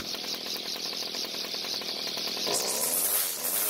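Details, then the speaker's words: Homelite two-stroke string trimmer that would not start, after the starter rope recoil was freed up: high buzzy even pulse at idle rising smoothly at wide open throttle, carb left unadjusted; normal idle and full throttle. "The good news is that it started and ran very well. In fact, I'm happy enough with the way the engine idled and ran at wide open throttle that I don't feel the need to adjust the carb."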